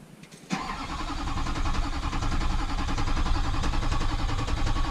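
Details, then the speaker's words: Wrecked rollover diesel truck being rebuilt and rewired: steady rhythmic cranking at about three and a half beats a second that never fires, even after fuel lines were cracked and fuel reached them; crank, no start. "nothing all right I am giving up for the day she's beat me for the day"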